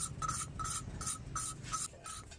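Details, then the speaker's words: Honda Supra X 125 valve being hand-lapped (no drill) after engine rebore and piston replacement: even rhythmic back-and-forth rasping about twice a second, now fine-toned with no gritty catch after about 5 minutes, valve seating smoothly, lapping done. "bunyinya sudah semakin halus. Berarti sudah cukup ya."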